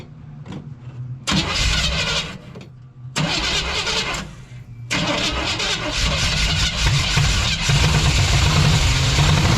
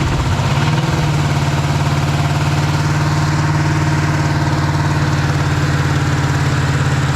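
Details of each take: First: 1956 Chevy 150 with a 35-year-old engine: with the coil confirmed working, fuel is added to the fuel pump; several short cranking bursts with pauses, then it catches into a rough, loud idle; fuel delivery problem, a leak found. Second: 1956 Chevy 150 with a 35-year-old V8, first start after coil check with spark plugs not yet changed; catches within a second and settles into a steady, even idle with no knock or miss: normal idle.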